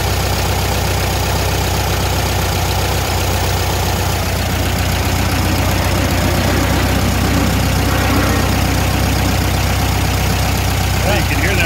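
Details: Air-cooled VW engine in a VW Thing during a tune-up, idle set to about 850–900 rpm: steady, even low rumble with no misses or knocks. The idle holds smooth and settled.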